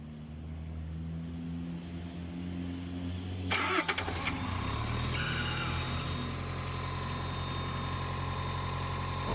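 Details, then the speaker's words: 2023 Tata bus AC auxiliary engine: cranks, catches and idles steadily, then automatically shuts down with EP fault; four of six condenser fans dead, one slow; shutdown from high head pressure. ">> ਜਿਵੇਂ ਕਿ ਦੋਸਤੋ ਤੁਸੀਂ ਦੇਖਿਆ ਵਾ AC engine automatically of ਹੋਈ ਜਾਂਦਾ ਵਾ EP ਦਾ fault ਆ ਰਿਹਾ ਤੁਸੀਂ ਦੇਖਿਆ ਡਿਸਪਲੇ ਦੇ ਉੱਪਰ"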